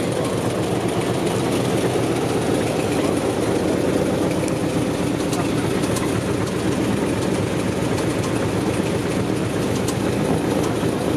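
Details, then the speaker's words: LS-swapped Nissan S14 on a dyno with a newly fitted AEM Infinity 708 ECU, under load: very loud, harsh engine roar with a hard knock from one cylinder bank, not the clutch. This is rod knock from a rod bearing failing due to a blocked oil passage. "he was like it's clutch I'm like this is not clutch that's not clutch it's way up on this Bank - it's on the other bank really"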